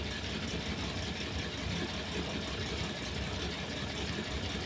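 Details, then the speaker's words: Ferrari 365 GTB/4 Daytona Spider V12 at idle before repair, running on 12 cylinders: lumpy, uneven exhaust beat from a misfire over steady hiss; exhaust temperatures per cylinder vary widely. "Yeah, you can hear the misfire. You can feel it lumpy through the exhaust. Shouldn't be like that."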